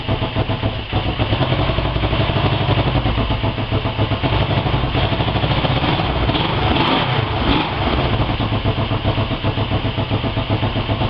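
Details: Honda 250 with CB350 engine, first start after engine rebuild: single steady idle with an even, quick thump and no knocks or misses; running smoothly.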